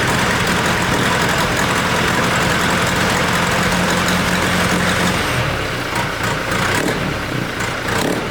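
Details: 1964 Ford 4000 diesel tractor with a fully rebuilt engine, revved to 1200 rpm: heavy, uneven chug and low rumble, lugging instead of revving freely, with grey smoke. A faulty injection pump giving poor fuel delivery is suspected.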